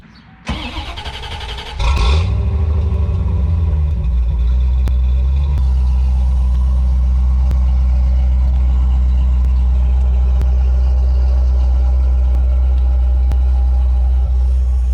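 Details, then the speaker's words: 1991 Chevrolet Corvette C4 starting after replacing 10-year-old battery that left it dead; brief crank, engine catches cleanly, steady even low idle with no misses, knocks or ticks; normal start and idle. "that's the sound I've been waiting for I got in here the other day to try to start it and it was completely dead"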